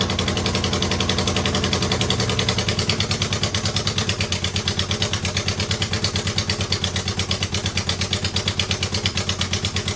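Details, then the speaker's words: 2009 Subaru Forester X EJ253 with remanufactured OEM heads, second start after engine install and cam seals: uneven idle with a lumpy, loping beat about two pulses a second and ragged firing; rough running, airbox and intake hoses then found unplugged and misplaced. "Well, I would not say that was a terrific second start"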